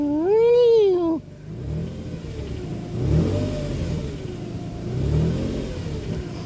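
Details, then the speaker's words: 2007 Nissan Pathfinder 4.0 V6, 5-speed automatic: high whine rising and falling with revs, loudest under the vehicle near the transmission; fixed by a simple transmission fluid change, not timing chain or pulleys. "so that winding noise is what i'm gonna take care of so i'm gonna run and get the fluid and everything and then we'll see at the end of the video if uh if that fixed the problem"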